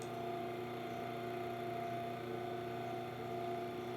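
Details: Bias-binding cutter machine, bought used and stiff to turn, after lubrication of its parts and screws: light, even mechanical hum with steady faint ticking, no harsh grinding or binding; runs smooth and free; normal running.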